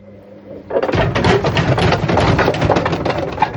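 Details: Bush WMDF612 washing machine run in service mode with two wet towels: loud rough rumble with irregular clattering thumps from the moment the drum spins up, caused by worn drum bearings.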